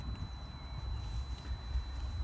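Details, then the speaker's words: 2000 Volvo V70 2.4 petrol with the fuel pump and ignition disabled, cranking with all plugs in as the healthy baseline: low, steady cranking thumps at an even pace with no uneven beats; even cranking, compression balanced. "you heard that obviously engine didn't start that you could hear that the the cranking noise was even"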